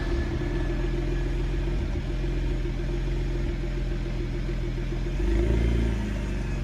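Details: BMW Z4 35i, cold start: rough, lumpy idle with uneven stumble and a short rev blip; cold misfire and poor start from fuel injectors found leaking into the bores at rest, six injectors ordered under warranty.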